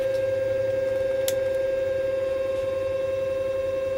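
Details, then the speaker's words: Repaired Cellbee underwater scooter that would not run or charge, board reconnected, app-started self-cleaning cycle: steady even electric motor hum, clean constant tone, no grinding or stutter. Normal motor running. "I bring up the screen, start a self-cleaning cycle, and you can hear the motor running."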